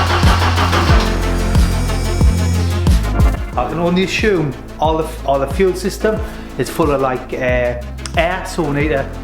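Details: Abandoned Ford Sierra Sapphire RS Cosworth, not MOT'd since 2014, start attempt with new fuel lines: starter churns in a steady slow rhythm, never catching.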